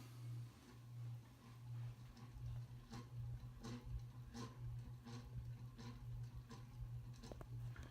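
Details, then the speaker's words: 1988 52" View ceiling fan, model V652, at low speed: a pulsing low hum with a rough tick about once a second. The fan has known bad bearings, described here as shot. "Yeah, it's quite noisy."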